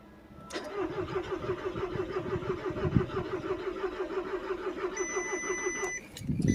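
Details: Volkswagen Tiguan: even starter chugging for about five seconds with no firing or pickup before stopping; engine cranks but will not start.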